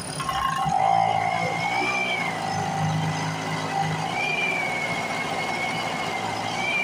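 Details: A rusty Speedway Series 1000-watt two-stroke portable generator from an auction, started with a makeshift pull rope, buzzes steadily with its pitch hunting every couple of seconds. It keeps running normally.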